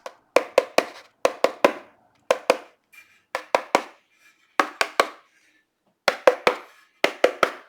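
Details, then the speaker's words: Canadian speaker from an Ampeg Reverberocket 2 vintage tube guitar combo, with the cone pushed by hand. Dry papery clicks with no spring-back; the suspension is completely gone and the speaker is not worth reconing or a coil change. "It is toast. There's no suspension whatsoever."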